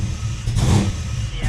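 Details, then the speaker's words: Ford Falcon XB GS after flooding cleared itself following enrichment tuning: two clean throttle blips rising and falling smoothly with no stumble or misfire; much better. "for it. A lot better."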